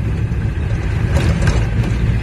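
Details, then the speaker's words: Camper van test drive in 4th shifting to 5th, after wheel bearings failed soon after a garage replaced them: low, even road rumble and tyre hum, no metallic grinding or rhythmic knock; bearings sound healthy, only normal tyre noise. "bah écoute ça a l'air d'aller les pneus font un peu de bruit mais bon ça c'est des bruits de pneus ça c'est normal"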